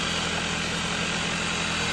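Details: 2019 Dodge Journey after alternator and serpentine belt replacement: smooth, even idle with a steady hum and no belt squeal or chirp; engine and charging drive sound healthy.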